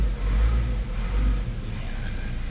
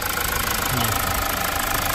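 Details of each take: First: Mazda CX-5 2.2 SH diesel, just started after a dual turbo assembly replacement: idle rises and sags unevenly, no check engine light or codes; later attributed to battery voltage, cause not confirmed. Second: Mazda CX-5 2.2 SH diesel after a dual turbo replacement that fixed jerking and black smoke: even steady diesel idle, no hunting, jerking or hard starting; healthy.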